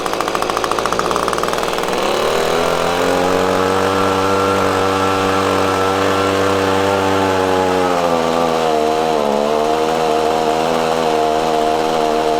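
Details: Echo PB-250LN handheld two-stroke blower after fresh fuel mix replaced old fuel: revs climb, then sag and waver instead of holding under throttle; bogging persists, carburetor needed adjustment.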